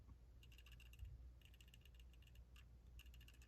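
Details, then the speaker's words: Glock 23 Gen 3 pistol, swayed side to side: soft, quick clusters of light clicks sounding like something loose; it is the loose trigger safety dangling on its spring, which is normal. "I couldn't really figure out what that noise was. I was like, what is that noise? It still sounds like something is loose."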